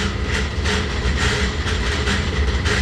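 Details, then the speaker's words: Laars Pennant commercial hydronic gas boiler circulator pump: a heavy low hum with a loud rhythmic rattling clatter and water leaking at the pump; a broken motor-to-pump coupling is suspected, not confirmed. "today we have an emergency service call for a Lars hydronic gas boiler and the issue was noise if you can hear it"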